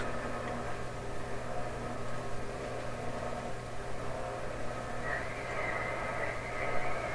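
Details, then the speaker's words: Westinghouse tube console receiver on AM: steady low hum under an even hiss, with no station ever coming through; it receives noise but cannot resolve stations, and alignment problems are suspected. "That's screaming out alignment problems. The radio's receiving, it just can't resolve any stations here."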